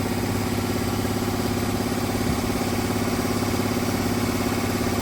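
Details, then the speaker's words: 1966 Ford Fairlane idling with lumpy uneven beat, one cylinder seemingly not firing; firing order problem suspected despite repeated checks, charging system working, coil lead wiring being checked; misfire at idle. "But even right now, I can hear it. It's like it's not hitting on 1 cylinder."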